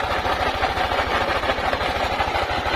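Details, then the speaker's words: Yamaha NMAX 155 scooter idling with a harsh, loud mechanical clatter over a fast, even low throb; abnormally loud engine, owner plans to check the CVT to find the source. "umandar na yung ating motor na si matmat at Pakinggan niyo po mabuti yung ating motor at nakakatakot po yung tunog niya para pong mabaklas na po yata yung makina"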